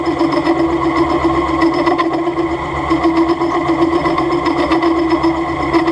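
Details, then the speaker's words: Milling machine being recommissioned: steady harsh chattering buzz with a strong mid tone through the cut; the head is out of tram, so the cutter drags and recuts on its back clearance — chatter from an untrammed head. "Le bruit que vous entendez ici, c'est pas que la machine vibre. Enfin, si elle vibre, justement, c'est bien ça le problème. C'est juste qu'en fait, la tête n'est pas alignée, elle n'est pas dégauchie, et donc on peut avoir des problèmes de."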